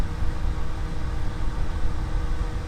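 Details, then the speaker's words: 2004 grey Duracraft turbo desk fan with a 0.6 A motor, before restoration, on low: low, even rumble with no ticking, rattling or whine. Quiet and moves plenty of air. "well there it is running on low it's a fantastic Runner other than these motors sometimes seizing up they're very reliable moving an impressive amount of air too it's really quiet"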